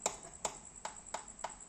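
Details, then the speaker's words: Scooter/motorcycle with sharp light clacking from the rear about three times a second when throttled, persisting after replacing CVT clutch shoes and damper; owner suspects the final drive gear, and the gear oil turned out milky from water entering via the breather hose. "Kalau motor digas ada bunyi jetak-jetak kayak gitu. Dan setelah saya cek kayaknya sih ini ada masalah di bagian gear ratio."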